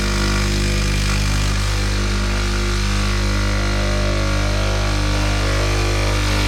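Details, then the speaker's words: Sage Barista Express pulling a double espresso shot: steady deep buzzing pump hum, no rattles or sputter, as pressure rises into the espresso range on the gauge; normal pump operation. "So looking at the coffee machine, we make sure that we're getting pressure within the range, the espresso range. And it's just going up into it now."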